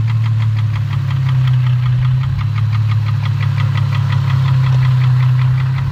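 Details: 2004 Infiniti G35 with rough idle: a steady low drone with a sharp knock about three times a second, suspected rod knock but cause unconfirmed.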